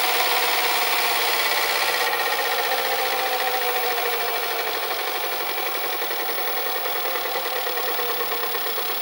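Steady high raspy whirr with a fast rubbing flutter, about three per second, from the deck mechanism; cause undetermined.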